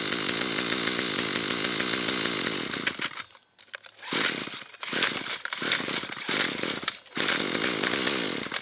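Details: Fairly new McCulloch two-stroke trimmer, carburettor cleaned twice, still hard starting: high buzz repeatedly sagging and nearly dying before catching again, trigger held; cuts out on half choke, runs only on full choke.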